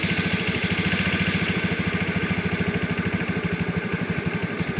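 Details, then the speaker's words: Honda Scoopy carburettor scooter, 2011, heard from the engine and CVT side: an even, steady idle with no odd noises, knocks or belt squeal; engine sounds healthy. "Kalau untuk suara mesin sih aman aja sih, tidak ada apa namanya suara aneh-aneh."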